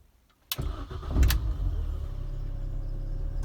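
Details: 2001 MINI Cooper R50 at about 87,000 miles on the cluster, after instrument cluster replacement with the airbag light on: brief crank, then the engine catches cleanly and settles into a steady, even low idle; healthy start.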